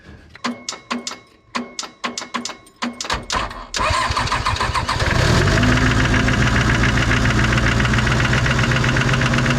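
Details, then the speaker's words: 1990s Toyota SDK7 diesel skid steer that sat outside for years, started with the radiator removed after electrical repairs: cranks, catches and races to a high steady speed while puffing smoke. The throttle is fully closed but ineffective; cause unknown. "definitely seems like the idle is super high for some reason and it's also puffing out a bunch of [Music] smoke"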